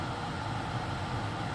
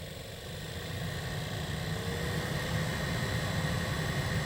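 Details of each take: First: 2013 Toyota Highlander 2WD, 117,000 miles: steady rush of air with a low even hum from the cabin blower after blower motor replacement for clicking; normal sound. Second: 2013 Toyota Highlander 2WD, 117,000 miles: cabin heater/AC fan at raised speed whooshes with rapid, uneven clicking from the failing blower motor behind the passenger footwell, due for replacement.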